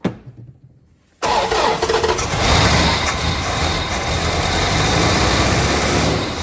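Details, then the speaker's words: 1970 Dodge Dart Swinger 360 V8, previously seized and full of rainwater, first run on an unhappy, likely clogged carburetor: it catches and runs loud, ragged and uneven with a constant chuffing roar and heavy blow-by smoke. Rough running with heavy blow-by. "Okay, well that is a running engine and it is quite apparent at this point that this carburetor is not happy at all."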